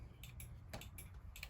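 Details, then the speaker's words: 1995 Honda Shadow VLX 600 (VT600CD) turn signal test: flasher ticks much quicker than the other side's normal steady blink, with uneven clicks; a burnt-out front bulb filament is suspected. "you know that light was on before one of the filaments must be burnt out it's very it's a lot quicker so looks like i need to check the bulb on the front here"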